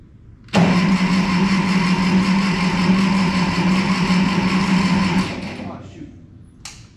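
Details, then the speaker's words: 1951 Ferguson TO-30 tractor, cold start attempt with fuel on and a touch of throttle: starter spins with a steady hum about five seconds but the engine never catches; hard starting, otherwise needs jumper cables after sitting or when hot. "give you a cold start and see if maybe we can't start to sort through this hard starting issue yeah because i need it to start"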